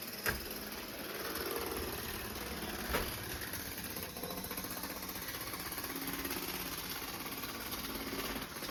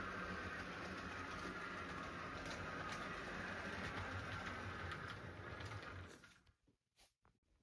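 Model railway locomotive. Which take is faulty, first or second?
first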